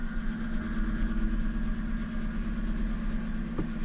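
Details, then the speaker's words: Car with 104,000 miles, long parked and unserviced since 49,000, just collected from auction, cold idle after a slow start: loose, uneven metallic rattle over engine hum, likely the exhaust, possibly from sitting parked. "and I can hear the exhaust rattling a bit. Now that maybe is because the car's been parked for a while."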